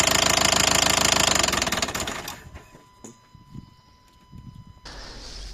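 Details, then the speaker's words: 2012 Nissan Qashqai 1.5 dCi diesel at idle: sharp regular knocking about three per second from the top of the engine, sudden onset; injectors ruled out, the timing belt turned out to have jumped teeth. "значит проблема в следующем раздается стук не сильный такой но стук исходит из верхней части где-то вот"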